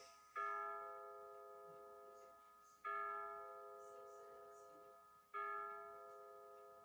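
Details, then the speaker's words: Battery-powered Bulova C3542 wall chiming clock, pendulum removed, hands moved ahead an hour: slow bell strikes every two and a half seconds, each ringing and fading, strike 9 times, so the hour is wrong. The chime batteries, in since October 2020, are weak. "It's gonna strike 9 times. It's off by 3 hours."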